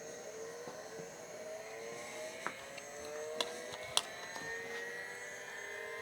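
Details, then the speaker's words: IBM PC XT 5160 with no-power fault, powered back up: thin whine climbs steadily in pitch over several seconds with light clicks, normal hard drive spin-up. "that all sounds normal now i don't have a monitor hooked up obviously"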